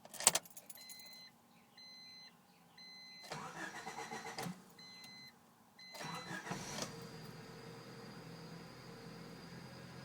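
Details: 1993 Honda Civic Del Sol: warning chimes, two short cranks without firing, then it catches and settles to a quiet idle; delayed start, waits 5 seconds to 5 minutes until check engine light goes off, code 43 fuel supply system, owner suspects oxygen sensor or ECU.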